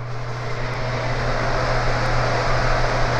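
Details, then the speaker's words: New Broan NuTone 60-CFM upgrade kit in a bathroom exhaust fan replacing a 15-year-old builder fan: steady, fairly loud fan rush with a low hum, about as loud as the old one, both rated 3.0 sones. "loud yeah it's pretty loud um i'd say it's the same as the old one hence the 3.0 sewn rating on both of them"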